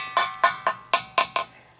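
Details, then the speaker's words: Water heater expansion tank recently replaced and charged by the plumber, tapped to compare with the waterlogged one: six sharp hollow, bell-like taps show the bladder's air side still charged. "it has air in it. And I charged it so I know."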